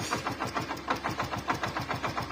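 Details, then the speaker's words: Hero Glamour FI motorcycle engine: sharp regular knocking about six per second at idle that fades when throttle is applied, so not crank; loose magneto/balancer nut suspected. "मेरे ख्याल से इसका जो magnet है ना magnet या तो loose है या वो साइड का बैलेंसर लूज है यह दोनों में से ही कुछ लूज है"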